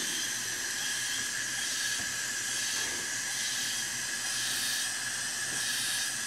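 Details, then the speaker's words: Craftsman self-propelled mower with 6.5 hp Briggs & Stratton engine, leak-down test: faint steady hiss of air from the oil filler tube; only slight ring blow-by, rings judged acceptable. Leaks also heard at exhaust valve and head gasket; valve lash suspected. "there is a little bit I can hear a little bit of air coming out of there but that's actually probably not bad so I would say the piston rings are probably good"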